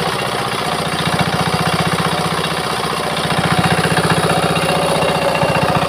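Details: Old Changchai R175A single-cylinder diesel, first start after complete restoration from non-starting, fresh CNG multigrade oil: even, steady thumping of about three beats a second with no misses or knocks; running cleanly.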